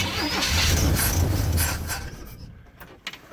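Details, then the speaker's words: Classic Chevrolet van, garage kept for decades and parked for years, inline six (owner unsure, maybe 292), possibly Rochester-style carburetor, jump pack, fuel reprimed. Starter churns steadily about two seconds without catching; cranks but won't start, owner suspects fuel pump failed from sitting. "Wants to go. I hope we haven't lost our fuel pump from sitting all this time. That fuel has a long way to go from the back of this van up to the carb."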